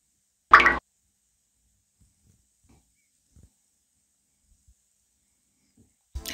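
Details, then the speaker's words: Eltax Atomic A10 10-inch 350W subwoofer after the fix: speaker hum and buzz completely gone, near-silent apart from a couple of handling knocks; only a faint transformer sound remains, audible just up close. "from the speaker the buzzing is completely gone what it remained is that transformer it emits a small sound you cannot hear this buzzing even in the night and you cannot get rid of it but it's not important"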